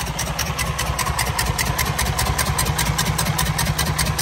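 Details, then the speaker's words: Detroit DD15 diesel truck, no fault codes, cylinders 4 and 6 at zero compression, 5 at 63%: rough idle with rhythmic puff about 2.5 a second from valves too tight to seal, suspected intake or exhaust manifold leak. "so we definitely definitely have an exhaust leak or an intake leak"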